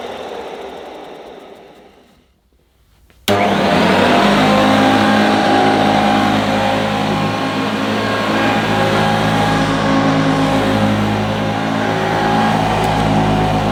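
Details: 1977 Hoover Junior Deluxe vacuum cleaner: after a moment of quiet the motor spins up fast to a smooth, steady whir of constant pitch; motor sounds fantastic, quietest Junior Deluxe/Starlight owner has used.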